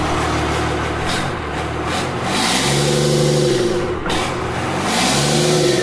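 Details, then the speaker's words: 1952 Dodge Coronet engine rebuilt for a hoped-for 500 hp, run on a makeshift engine stand fed from a two-gallon tank after 10 hours trying to start it: revs up twice, rising and falling cleanly without knocks or misses. "So, this is me starting it up after knowing that it runs for some fans and family."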